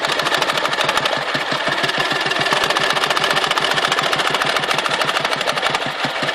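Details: Dnepr motorcycle engine, 2014: sharp regular knock at several beats per second; knock comes and goes, with power loss and fuel spitting from carburetor while present, disappearing at high rpm or before stalling; cause unknown.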